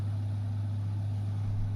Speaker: Allora, il rumore è una ventola, si sente ma a differenza del Dometic che faceva un rumore tipo di compressore, una specie di vibrazione un po' più fastidiosa, qua si sente solo